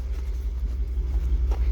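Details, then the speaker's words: Old gas V8 manual 4x4 pickup at a used-truck inspection, idling after a jump start: a deep, even burble with no knocks or misses. Not too loud, a nice quiet engine; a pulley wobbles slightly with some noise, but no valve noise is heard. "want to make sure it's not too crazy loud not too bad it's a good noise listening for any noise right here you want a nice quiet engine sounds quiet"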